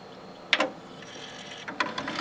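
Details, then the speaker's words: Teac PD-D1500 CD changer from a thrift store, after repair: pressing stop brings clicks, a quick whirr and light ratcheting ticks as the mechanism unloads the disc; working normally. "stop which as you can hear actually unloads the desk which is interesting I've never seen that before"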